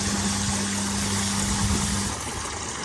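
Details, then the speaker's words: Oase drum pond filter running its cleaning cycle after being switched off for about 20 seconds and back on; the error code had cleared. Steady motor hum over rushing spray water, cutting out about two seconds in. Normal cleaning cycle. "ack on again, and then let it go through the cycle of cleaning, and then if it comes back up with the error code, you know you've got a problem."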